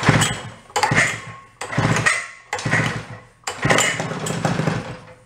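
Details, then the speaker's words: 1961 Centaur 49cc folding suitcase scooter two-stroke, stored 40–50 years, on choke: catches in bursts, firing then sagging every second or two, uneven and rich but running. Engine running on choke. "How about some choke? This is going"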